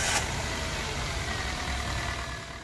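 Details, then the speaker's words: Chevrolet Spark 1000 cc just after engine rebuild for cylinder leak, coolant refilled: slightly slow start because system was drained, then an even, smooth low rumble with no knocks or misses; normal idle. "pues vamos a escucharlo de la manera que arrancaba cuesta un poco era que arranque porque todo el sistema está descargado sin embargo él responde súper bien"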